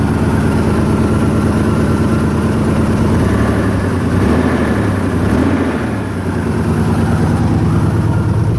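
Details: 1997 Toyota 4Runner SR5, 210K miles, blown head gasket, check engine light on, idling: loud raw exhaust puffing, leak thought to be at the header, oxygen sensor hanging loose so exhaust escapes from its port.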